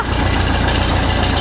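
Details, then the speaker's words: Oliver 66 tractor running before carb clean and plug cleaning, runs bad and won't hold throttle low; low, lumpy, uneven pulsing idle with no steady rhythm; rough running idle, cause suspected (carb or electrical) not confirmed. "okay so you may be wondering why I'm going to clean the carb and put clean the plugs - it's because of the fact that this thing kind of runs bad so"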